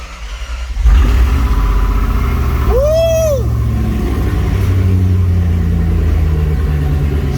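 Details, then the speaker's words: 4.7L Jeep Grand Cherokee WJ first start after donor engine install, following repeated no-start attempts blamed on weak starter or missing ground: quick crank, catches and settles into a steady, even idle with no knocks or misfires. "starts oh yeah [Music] I didn't think it was actually gonna happen"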